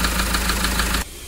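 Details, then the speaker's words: Mahindra XUV500 diesel, overheated from coolant leak: at idle a steady light tapping (tak-tak) about six knocks a second over the rumble; mechanic suspects piston hitting and worn piston/rings, engine to be removed and head opened. "जैसा की friend आपने इसका sound सुना तो इसके लिए इस sound का जो आवाज है कस्टमर का कंप्लेंट हम दूर करने के लिए इसका इंजन बाहर निकलेंगे क्योंकि हमारा जहां तक तजुर्बा है इसका जो पिस्टन आता है वो हिट होने के बाद से गाड़ी इनका हिट हुआ है"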